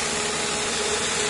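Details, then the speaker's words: 2005 Nissan Maxima just after fitting six new ignition coils and spark plugs, upper intake removed: steady, even idle hum with no misses; all cylinders firing cleanly. "tuvimos que remover en el intec en la parte de arriba y ya tenemos el motor encendido"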